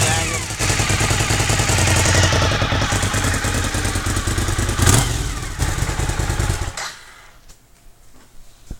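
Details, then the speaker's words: 2003 Suzuki SV1000 V-twin, lowered bike, with a deep, even throb, then shut-off. The motor sounds healthy with no banging or tapping, though a slight exhaust leak at the rear is suspected. "The motor sounded good. I didn't hear anything wrong with the motor. I didn't hear any banging or anything."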